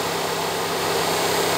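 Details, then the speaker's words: 2013 Dodge Forza with a strong engine misfire, radiator fan on high speed, commanded through a scan tool actuator test: steady, even rush of air with no rattle or wobble; the high speed works, while the low speed does not activate. "vamos con la alta primero vamos con la alta alta no tengo problemas radiactiva perfectamente"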